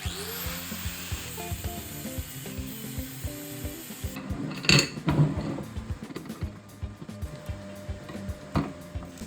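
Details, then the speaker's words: MIG welder on turned-down settings, filling gaps around bolts on an upcycled valve lamp, gives an irregular crackly, popping arc; wire feed speed too low. Raising it gives a sizzling-bacon sound. "takes me a few attempts to get the welding machine dialed in properly. You can hear it's a little bit crackly, and that's because we need to up the wire speed a little bit."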